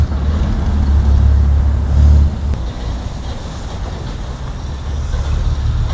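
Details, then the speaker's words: 1955 Plymouth Plaza two-door wagon whose engine was locked up and sat 42 years in a Texas field, first drive attempt: old V8 loping at a low, lumpy, wavering idle; kept dying in gear, owner suspects brakes too tight; oil and antifreeze leaking; rough running. "In 42 years. She was a little sticky, but she's coming out of it."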